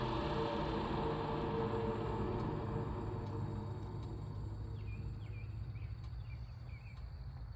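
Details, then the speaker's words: Caterpillar 3412 V12 diesel, sat for years, after fuel pressure troubleshooting and snugging the pump-half bolts; steady, even idle with smooth low rumble, no knocks or misses; warmed to about 160 on the gauge; seems good, untested under load. "Well, I'm pretty happy with that. A guy would have to put a load on it and run it for 10 or 12 hours straight to really figure out what he's got, but so far everything seems to be good."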